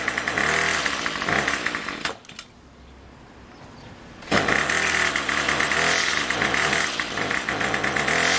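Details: Craftsman Weedwacker trimmer 316.791191, MTD 27cc two-stroke, Zama C1U-P27 carb, after rebuild, next-day cold start with a little throttle: raspy buzz runs, drops off about two seconds, then picks back up and holds steady; normal cold start and running.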